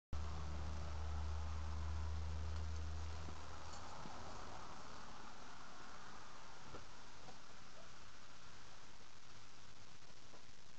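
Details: Vortech V2 SQ supercharger with shot bearings: a faint low hum, then the engine fires up loud with a harsh grinding rasp and whistling tones from the blower.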